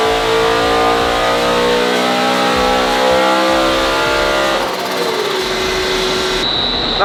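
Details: Supercharged BMW E92 M3 on a dyno, base map, after the earth fix: clean full-throttle pull to the top, then a sharp drop as the throttle closes; healthy run, expected just over 600 on this pulley.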